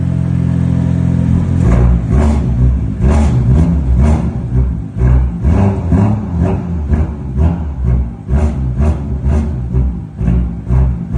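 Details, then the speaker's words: BMW M2 F87 cold start: deep rumble with loose metallic clatter about twice a second from the M Performance rear muffler, whose internals have failed; exhaust removed for repair. "BMW M2F87 und zwar klappert die Kutsche im Kaltstart brutal. Also wirklich der Klang vom Auspuff ist alles andere als geil."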